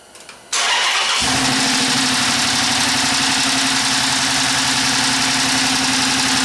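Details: 2011 Chrysler 300 5.7 V8 with codes P0300 and P0302: cranks, catches and settles into an uneven lumpy idle with a regular stumble; scope shows fewer than eight pulses, pointing to a mechanical problem on cylinder 2.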